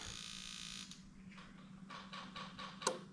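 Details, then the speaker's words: New 1996-97 LS400 1UZ-FE non-VVT-i harness with standard ECU on a 3UZ test engine: spark buzz cuts off, then steady low electric hum of fuel pump runs on a few seconds as main relay stays active after shutoff; normal. "you can hear the spark plug stop buzzing but the power pump the fuel pump stayed on for a little while that is completely normal when you shut off the car the main relay stays active for a few seconds"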